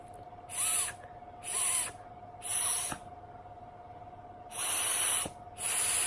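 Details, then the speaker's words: Vandyvape Pyro V2 rebuildable atomizer on draw: five sharp hissing rushes about a second apart, each a loud airy draw; airflow is turbulent and noisy. "really turbulent still there's really really noisy then yeah which is a bit of a put off"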